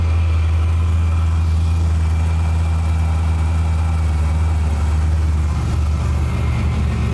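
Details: Drag truck V8 first fire after a 1,200 hp-capable fuel system install with dual in-tank pumps, flex fuel sensor, new rails and an Aeromotive regulator: deep steady idle, no stumble or ticking, fuel pressure holding at 58.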